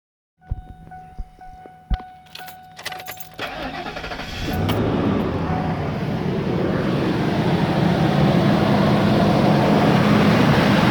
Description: 1997 Ford Expedition after a cold start this morning I hear the grinding noise trying to figure out what it is need help...thx